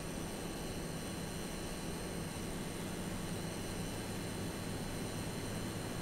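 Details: AMD Radeon RX 6800 (non-XT) while gaming, audio slightly boosted: steady high-pitched electrical whine over a low fan rush, graphics card coil whine, resolved by replacing the older power supply.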